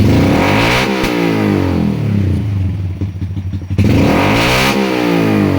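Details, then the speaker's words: 2020 Honda Grom 125 after fault clearing, ECU reset and TPS reset (previously rough idle, spluttering, misfire, poor acceleration): starts nicely holding 1200 rpm, crisp clean blips with no spluttering or misses; normal throttle response. "This one's starting nicely, holding the 1200 RPMs."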